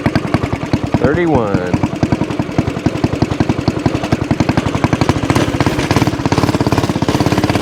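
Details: Axis/Coleman M200 mini bike, 196cc single, tuned 22mm Mikuni carb with needle raised, exhaust, governor delete, flat out at about 31 mph GPS max: fast firing holds flat at one speed, won't climb; owner suspects stock valve springs floating.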